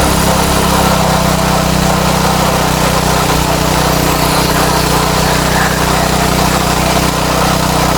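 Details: Craftsman tiller with Tecumseh Eager-1 engine with a no-start/kickback problem: steady, slightly fast buzzing run at high throttle; governed high speed set slightly too high, mixture wants backing out a touch.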